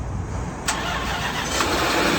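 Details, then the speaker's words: Range Rover L322 5.0 supercharged V8, bought very broken with a dead battery, cranks quickly and settles into an even idle with no startup chain rattle; normal-sounding start. "Oh, all right, that sounded good. Wow, that didn't sound catastrophic at all, honestly."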